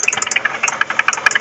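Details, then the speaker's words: 2012 Hyundai Sonata Hybrid at idle after a short road trip: fast light metallic clatter, fifteen to twenty taps a second; tow truck driver suspects a bearing, timing belt mentioned, source unknown. "anyways that's the noise it would be a big help if you would give me ideas as to what it is uh the tow truck guy said it's probably the bearings or a bearing"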